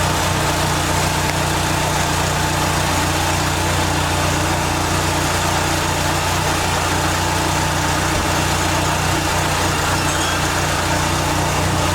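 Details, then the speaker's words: 1989 Dodge Daytona ES on a lift, cold, after exhaust work, an oil seal and wiring repairs: smooth, even idle with a steady low drone and no ticks or misses; normal idle. "so we are still in the air and we got the exhaust finished thank you a little cold nature but uh sounds"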